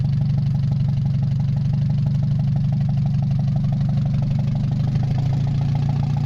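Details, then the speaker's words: Mazda 626 petrol, first start after cylinder head reassembly, oil overfilled, warming up with rest of exhaust not hooked up: uneven idle pulsing about four times a second; rough fluctuating idle, owner suspects O2 sensor, bad EGR or old gas. "the fluctuating idle has to do with my O2 sensor CU as you can see I don't have the rest of my exhaust system hooked up"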